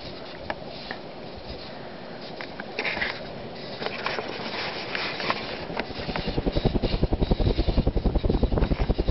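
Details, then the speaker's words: Emerson Heat Fan HF-152 52" industrial ceiling fan (1981), K63 motor rated 1.3 A, on medium speed: worn bearings hiss and growl in a rhythmic low thump; the hot-running K63 has broken down the grease, so the bearings are shot and need replacing. "You can already hear the bearings hissing. The bearings are shot and they will need to be replaced."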